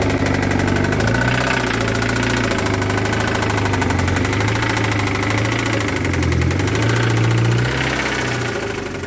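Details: Toyota MR2 Spyder 1ZZ engine, blown and being removed, first start after sitting over two months: heavy, steady knocking at about four per second over a rough idle; badly damaged bottom end.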